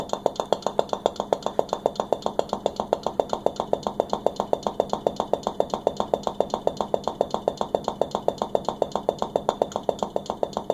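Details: KitchenAid KSRP25F side-by-side fridge: fast steady knocking, about three or four knocks a second, over a faint hum.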